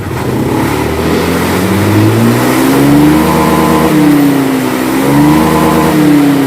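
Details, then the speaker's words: Honda Beat scooter that died when throttled (TPS sensor fault code), after TPS replacement and reset: picks up cleanly on each blip, pitch rising and falling smoothly with no stumble or cutout. "Nah sekarang kita coba hidupkan normal nggak kalau tadi kan sebelum diganti dia nggak bisa di gas sekarang Coba setelah diganti perhatikan di sini teman-teman di sini juga ketika kita gas dia naik ya"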